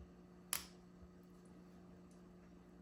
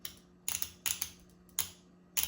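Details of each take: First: 1993 Honda Accord transmission shift solenoid, removed, screen cleaned, bench-tested with a battery: sharp clicks, single and in bursts, over a low hum, sounding weaker than the other solenoid; it is suspected failing and causing shift issues. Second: Transmission shift solenoid from a 1993 Honda Accord, bench-tested with direct battery power and ground because a bad solenoid was suspected of causing shift issues. It gives crisp, clean paired clicks with a faint hum, so it is working normally.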